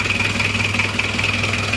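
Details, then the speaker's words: Isuzu Panther Miyabi diesel after engine rebuild, glow plugs not working so it was hard to start: steady idle clatter with an even rhythm and a sharp ticking edge; still smoking while cold, warming up. "nah ini kondisinya seperti ini masih ngasap karena masih dingin"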